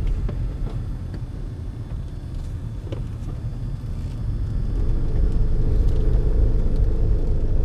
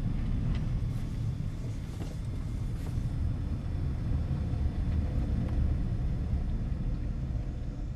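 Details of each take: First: 2004 Honda CR-V rear differential, before the drain and refill with Honda fluid: low, uneven rumble with a pulsing shudder about three times a second while creeping through tight turns and parking lot maneuvers; differential fluid breaking down. Rear differential shudder. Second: 2004 Honda CR-V after rear differential drain and refill with Honda-approved fluid for tight-turn shudder; test drive through tight turns gives only steady low road rumble, no groan, chatter or shudder; healthy differential.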